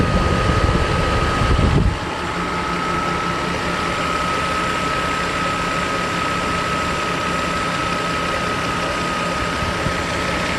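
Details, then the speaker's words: Mercedes W140 S600 coupe V12 after new belts, pulleys, engine mounts and mass airflow work (oil leaks remain): smooth, even idle with a steady low hum and no squeal, chirp or rattle from the belt drive; normal idle. "Other than that, the engine is very nice. I have no problems with that."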